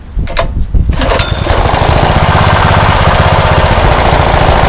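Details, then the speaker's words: Rebuilt blown Honda GX160 engine, choke off, after carb work: catches after a few pulls then settles to steady even low putter at idle, no misses; runs well, full throttle still slightly lean. "That's idle, running pretty good."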